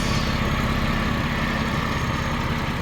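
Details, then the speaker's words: Overhauled Buick 3800 Series 1 V6 at warm idle: low, even rumble with a slight exhaust puff, no check engine light, no misfire, no fuel leaks; normal idle. "So it's running good. It's not misfiring. Idle's good. No fuel leaks."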